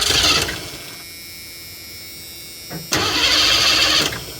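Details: 1984 Ford E150 Econoline camper van fed from a boat fuel tank: two cranking spells spin steadily but never fire or pick up speed; cranks but won't start, needs a couple of pumps to prime fuel.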